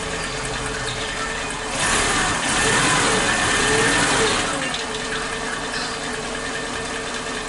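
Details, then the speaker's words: Suzuki Katana, warm engine, old spark plug leads refitted in firing order 1342: unstable idle rpm with brief pauses as if ignition cuts out; misfire confirmed from the old plug leads. "Oke, memang kembali lagi penyakitnya mesin tidak stabil RPM-nya. Jadi kadang ada jeda, kayak pengapiannya terhenti sebentar gitu."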